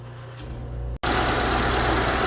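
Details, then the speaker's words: 2012 Honda CR-V 2.4 idling after replacing an alternator with bearing noise: steady, even idle, smooth low hum, no alternator whine; initially seemed not charging (12.3 V) but came right after several minutes. "so there's the alternator back on and running and nice and quiet but it's not charging"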